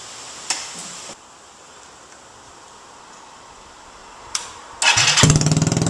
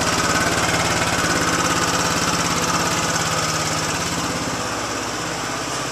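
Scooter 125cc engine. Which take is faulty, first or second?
first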